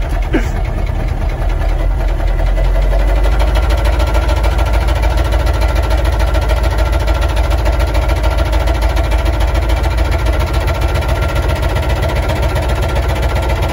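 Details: Military Humvee diesel at idle with almost no oil pressure: deep heavy rumble with a steady pounding knock about three times a second, rod knock.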